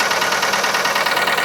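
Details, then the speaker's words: Hyundai YF Sonata, Theta II gasoline engine, 85,000 km, at idle: a steady, fast metallic rattle rides over the engine and never settles, heard inside too; unusually severe, suggesting serious internal wear. "야, 근데 이 차는 좀 유독 심하긴 하네. 안에서도 갈갈갈 소리 많이 들리네."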